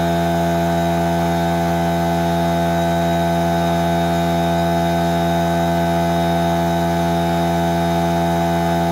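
Constant, unwavering motor hum with a steady low tone throughout, no knocks or rattles; the compressor pump sounds like it is running normally.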